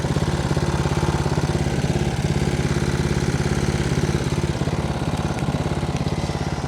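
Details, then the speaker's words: Homemade outboard with a small single-cylinder engine under load: quick, even thump with no misses or knocks. Exhaust and engine are not very hot; runs healthy. "There we go. Yeah. Well, the exhaust doesn't seem that hot at all, and neither do the engine."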